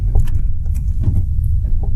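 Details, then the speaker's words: Renault Triber, about 5 years old: dull uneven "thug-thug" thuds from the front suspension at crawling speed, over speed breakers and when shifting into first and second gear; worn strut (shocker) mounts, fixed by replacing the mounts. "तो इस तरह की जो आवाज़ है ना, ये ऐसे लगता है ठग ठग ठग, नीचे ना बेसिकली सस्पेंशन से आ रही है।"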